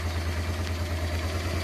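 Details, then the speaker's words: Honda Transalp carbureted V-twin after setting both air-fuel mixture screws to factory 2.5 turns out to cure rough idle: even, steady low idle thump with no hunting or misses; idling healthy. "as you see now from the gauge, but from the sound also of the engine, our engine now works fine. I would say perfect."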